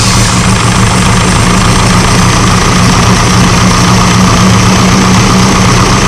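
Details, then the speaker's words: Classic car with SU carburettor at idle after start-up: steady low idle with a soft, even intake hiss and no misses or knocks; normal SU carburettor intake hiss. "m going to do is start it up and what you'll see is that the it'll make a bit of a hissing noise"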